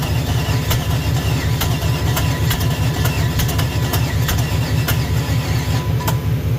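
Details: Junkyard small-block Chevy 350 on an engine stand, hot, after years in storage, now on open headers: loud steady V8 beat with sharp header cracks over a deep even pulse; runs strongly and evenly.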